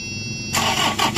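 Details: 2013 Toyota Innova 2KD diesel, manual, hot day: starter churns the engine with an even, rapid pulse but it never catches. Crank-no-start; the crankshaft position sensor is caked in oil sludge.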